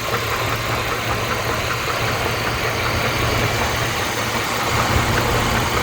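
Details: 2008 GMC Envoy, 220k miles, oil well maintained: steady idle with a faint, fairly even knock at roughly two to three per second over the engine; source of the knock not yet found.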